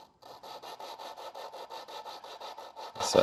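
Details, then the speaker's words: Lapping a valve onto its seat in a big block Chevy cylinder head, compound applied, suction-cup tool, quarter turns; even gritty rasping about five strokes a second, coarse. Coarse lapping stage. "that sounds pretty coarse. Oh, and that's where it got a little quieter."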